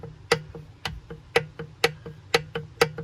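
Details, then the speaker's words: Yamaha Super Jet two-stroke with new 81 mm top end in a wrong-size (only honed) cylinder, 120 psi compression: sharp metallic clicks about once a second as the piston is rocked by hand; excessive piston-to-bore clearance, cylinder needed boring .050 over. "if you look down the side of the cylinder that Gap is my rings all the way pushed out you know if I push the cylinder all the way over you can see how much wigg"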